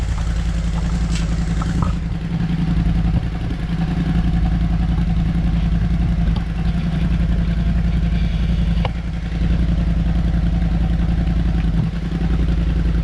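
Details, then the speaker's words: Kymco CV3 scooter after its silencer was replaced, warming on a table in a closed garage with some resonance. A deep, steady exhaust drone with light throttle blips, no rattles or popping; quieter than stock, under 90 dB; healthy exhaust note. "c'est un joli bruit quand même même s'il fait moins de bruit que l'origine et ben je trouve le bruit beaucoup plus joli"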